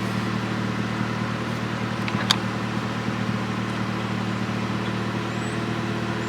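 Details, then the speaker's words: 1998 Honda Civic idling after installing a 255 LPH eBay Walbro-replica fuel pump, primed and started: steady low hum with an even beat, no misses or knocks; runs smoothly, though richer. "I'm gonna show you now what it sounds like when you primed a fuel pump maybe you heard that and starting too bad"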